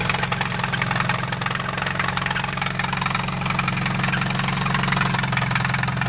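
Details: Acura RSX petrol engine idling with a steady, sharp metallic knock about four times a second; rod knock after being driven without oil.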